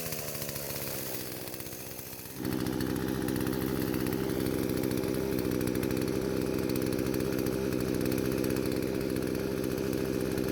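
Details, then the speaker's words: Poulan chainsaw that would not start despite spark, fuel and compression, now after repair and carburetor adjustments (L screw about half turn counterclockwise, idle screw): small two-stroke steps up briefly then holds a steady, even idle without stumbling or surging; normal running. "I was quite surprised I had to make so many small adjustments to get this engine running right."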